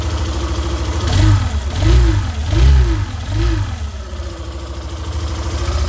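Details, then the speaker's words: Yamaha Fazer 150 revved from idle: low droning hum swelling and falling with each throttle blip; noise comes from the stator's magnetic field, not a mechanical or bearing fault. "se tiver algum barulho com zumbido alguma coisa assim pessoal não é nenhum problema na parte mecânica pessoal é aqui ó estatura é o campo magnético aqui que faz esse barulho aqui"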